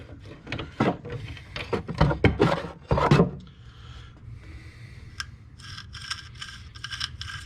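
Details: Wheel bearing from a 2011 Chevy Cruze, howling while driven, spun by hand: gritty, rasping crunch each turn instead of a smooth spin; worn bearing full of rust and debris.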